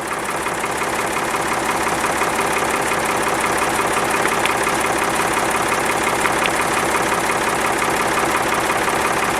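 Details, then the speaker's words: Backhoe loader diesel at warm idle after the oil change, sound meter at the engine: average about 75 dB with slightly lower peaks than before; smooth even idle around three firing pulses a second, no knock or rattle; normal idle. "on est toujours sur une moyenne à peu près de 75 décibels on arrive à avoir des pics un petit peu plus bas chose qu'on n'avait pas tout à l'heure"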